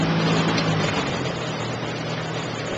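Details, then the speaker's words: Fisher R80 Tiger Moth biplane engine idling indoors at 1,000 RPM just after a cold start (temperature reading 100); smooth, even low drone with no misses or knocks, running cleanly; normal idle. "This is the typical noise of this airplane. The engine is purring along smoothly at 1,000 RPM."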